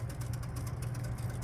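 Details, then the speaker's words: 1953 home-built computerized Tic Tac Toe game made by two General Electric engineers, computer taking its turn after the go button: low steady motor hum with quick even contact clicks, about eight to ten a second; selector runs around and stops normally. "and this is what it's doing so it goes around and is happy and it stops and says hey I'm there"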